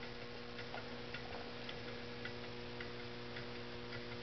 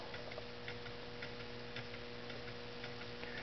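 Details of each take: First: Homemade low temperature differential Stirling engine on cooling hot water: light ticks about twice a second over fluorescent lamp buzz; it makes a clunking sound, pivot points are JB Weld-filled connecting rod hooks. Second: Homemade low temperature differential Stirling engine with a ball-bearing crank, on a cup of hot boiling water, runs 15–20 minutes: soft, even ticks about twice a second with no scraping or hesitation; running smoothly.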